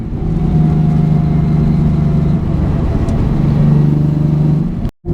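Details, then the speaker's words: Nissan 350Z with VQ engine, stock headers and cats, ISR muffler, 3-inch piping; cruising around 60 at about 2750 rpm, quiet, then swelling on throttle; low drone, known exhaust leak present. "it's got like a really deep throaty tone and you can really actually hear the intake now and it has significantly less drone on the inside which is awesome"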